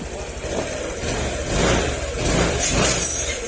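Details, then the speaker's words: Honda Click 150i at 200k odometer after engine overhaul for a scored piston that caused knocking and smoke, then reset with a diagnostic tool: a smooth, even idle with gentle revs. It is now quiet with no rattle. "Yan, tahimik na yung makina niya."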